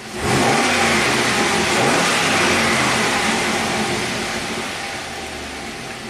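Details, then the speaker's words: Healthy 2006 Pontiac GTO V8, six-speed manual, 36,000 miles, running after a new AC Delco plug in cylinder three; engine blips cleanly and settles to a smooth, even idle with no misses or knocks, fuel trims normal. "seems to be happy. So, we'll uh we'll test drive it when he gets back. It's It sounds really smooth."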